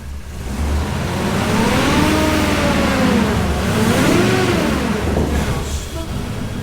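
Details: Off-road wrecker engine, still cold, after fixing a reversed crankshaft position sensor: a few gentle no-load revs rising and falling smoothly as the ECU self-tunes; idle now smooth and it seems to fire on all cylinders.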